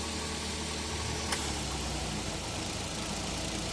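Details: Suzuki K6A DA64V turbo after exhaust valve repair, idling with aircon on: even idle with steady low rumble, one brief click partway, no misfire; engine now fine.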